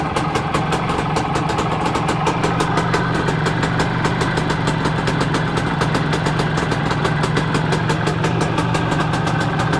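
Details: Planeta 4 two-stroke after repair, all Soviet parts in the engine. Quick, even popping at a steady idle with no misses, knocks or rattles; idles as it should.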